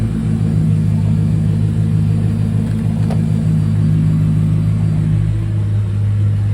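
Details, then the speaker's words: 2005 Mercedes C55 AMG, M113 V8, just after fuel pump replacement for a crank-no-start fault: first start after the pump primed, steady deep even idle with no misses, knocks or hunting, still cold before warm-up; normal idle. "Our sounds great. Let's make sure it's idling normal."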